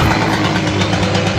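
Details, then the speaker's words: Simson S70 two-stroke after fitting S51 exhaust and a replacement carburettor (old one chipped, leaking fuel), mixture being readjusted: fast even burble at steady idle, no misses or rattles; much quieter than old exhaust, running normally. "Các bạn thấy đó, âm thanh từ ống xả này êm hơn rất nhiều"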